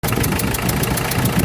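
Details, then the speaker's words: Diesel vehicle at idle, noise absent before a trip and present on return: sharp puffing chuff about five times a second; owner suspects the injection pump or injectors, later traced to compression leaking past an injector seat in the cylinder head. "Ngayon pag uwi namin dito, ganito na ang tunog niya. Nung umalis kami ay wala pa. So mahinala ako dito na kung di injection pump or yung sa injectors ang may singaw."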